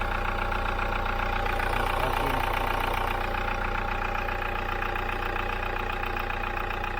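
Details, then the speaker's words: Hyundai iLoad diesel van, about 3 years old, 39,000 km, short city trips, noise meter held at oil filter before intake decarb clean; steady idle with crisp even ticking about four a second, tappety, noisier than new, cause unknown. "So it sounds just like a diesel should, but could be sounding better. When it was new, it was better."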